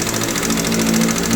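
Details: Sniper 155 motorcycle engine at idle: loud, rapid metallic top-end valvetrain clatter; no oil reaching the head suspected, possible rocker arm damage, not confirmed.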